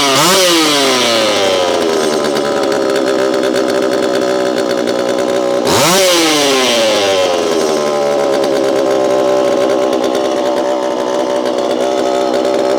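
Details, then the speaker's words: Repaired Homelite Super EZ chainsaw, boxed about two years after transit damage, on its first test run after reassembly. The two-stroke snaps up to a high scream twice and holds steady at full throttle with no bogging or stumble; throttle response is instantaneous: normal running. "This thing has a lot of zing to it, and I know you know what I mean. Zing. It's throttle response is instantaneous."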